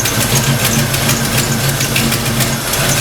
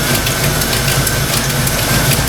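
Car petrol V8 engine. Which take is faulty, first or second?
second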